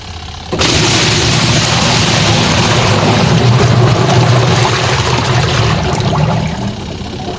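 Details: Sharp single-tub washing machine after repair that fixed a stony grinding with water: steady churning agitation with even motor drone after startup, no stony grinding underneath; washing normally.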